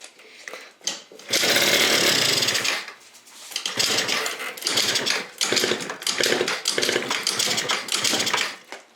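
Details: Yamaha Vino two-stroke scooter, carb cleaned, no airbox, no upjet so running lean, auto choke line just fixed; harsh buzzy bursts fire and fade in uneven surges, never idling; fuel starved by a blockage between fuel inlet and float bowl, suspected.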